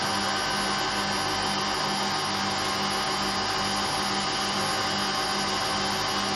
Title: Hotpoint Aquarius WMA58 washing machine || 2 in 1… bad motor bearings and drum bearings special!